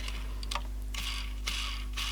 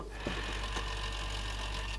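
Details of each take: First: Samsung RCD1300 boombox: light ratcheting ticks as the small gear train runs back and forth, moving fairly freely, slightly imperfect when changing direction. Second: Samsung RCD1300 boombox CD player, playing a disc: busy buzzing mechanical whirr with a steady thin whine from debris in the sled motor gears; it doesn't sound happy but it plays.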